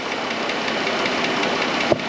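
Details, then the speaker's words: 2013 Chrysler Town and Country, 3.6 Pentastar V6; light, fast, even ticking over steady idle, loudest toward front of valve cover; failing lifter or its roller suspected, lifters then replaced. "so what i think we're looking at is a lifter that is having issues whether it be the roller or the actual lifter itself something is not doing its job"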